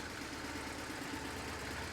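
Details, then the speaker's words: BMW R1150GS boxer after valve-train work and valve cover reinstallation to fix left-cylinder RPM-dependent ticking: quiet, even idle with a soft steady beat and no ticking from the left side; normal. "And our left side now sounds pretty normal."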